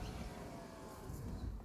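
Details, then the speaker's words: Mercedes-Benz W124 300CE-24 with one-touch power windows, front and rear all lowering together: low, steady motor hum as the windows travel down, then a soft stop. Power windows working normally. "you've got electric windows power controlled windows automatic position same thing with this one you just press that button once and the thing goes down don't have to keep holding it down back ones as well they all come down together"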